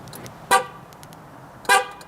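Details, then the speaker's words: Ford F-150 just after a battery change, hood open, remote start attempted: two sharp horn blasts a little over a second apart with no engine running; owner suspects the anti-theft alarm is triggering instead of the truck starting. "The hood's open. I wonder if it's going to think that I'm trying to steal it."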